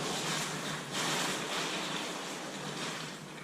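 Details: Slab leak under a concrete floor heard through an ST-2000 leak detector, moved 3 feet, as water is run through the line: steady rushing hiss of pressurized water escaping the pipe; leak confirmed.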